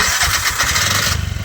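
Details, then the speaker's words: Bajaj CNG BS6 single-plug engine: catches and races instead of settling to idle; speaker says the idle cable must be loosened and reset to cure the idle problem. "Start ಮಾಡಿ ಥರ race ಮಾಡ್ತಾಯಿದೆ. ಇಲ್ಲಿ ನೋಡಿ ಹೈಡ್ಲಿಂಗ್ wire ಅಂತ ಬರುತ್ತೆ, ಇದನ್ನು open ಮಾಡ್ಕೊಂಡು ಇಲ್ಲಿ ರೇಸ್ ಮಾಡಿಕೊಂಡು ಓಪನ್ ಮಾಡ್ಕೋಬೇಕು."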